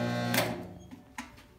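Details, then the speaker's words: Machine induction motor turning very slowly after capacitor replaced and overload relay reset, heavy buzzy hum cutting off with a clunk and clicks; likely drawing high current, contactor and burned motor suspected. "when we turn it on motor moves very slowly i'm not going to run it for a long time like that because it's probably drawing a lot of current"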